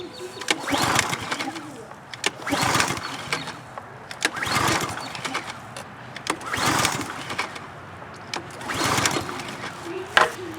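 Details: Troy-Bilt pressure washer with water connected, failing to start after storage: pull after pull about every two seconds, it churns briefly but never catches. Old fuel has clogged the carburetor main jet; the carburetor needs cleaning.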